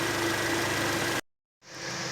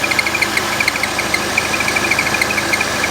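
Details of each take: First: Citroën DS5 with C4 turbo engine after repair: even steady idle, no belt squeal or air-leak hiss; fixed by cleaning/decarbonizing. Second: Citroën DS5/C4 turbo petrol at idle with failed crankcase breather valve atop valve cover: rapid ticking chirp, steady hiss, belt noise; opening the cap depressurizes it, stopping the blowing and belt noise.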